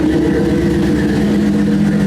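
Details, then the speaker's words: 1953 Buick at idle after new tailpipes were fitted (exhaust used to dump out right after the muffler): loud, steady idle rumble with a deep burble, no misfires or knocks; still loud but better; loud exhaust note at idle. "It's still loud. It sounds a little bit better. Before it was just dumping right out from the, oh yeah."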